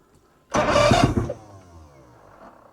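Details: 1986 90hp Mercury Tower of Power outboard on an Alumacraft boat, first start: cranks briefly, fires with a loud rough burst, then settles to a low, quiet, steady idle; healthy start.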